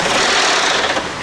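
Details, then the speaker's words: Volvo turbo five-cylinder, about 200,000 miles, first start after new coil packs and plugs: harsh rapid grinding clatter like a grinder right after start-up despite oil being checked; timing belt has jumped teeth, low oil pressure first suspected. "that that's not good that's in there it started up it it might be just low oil pressure but like what do we have oil in there yeah yeah we just checked it"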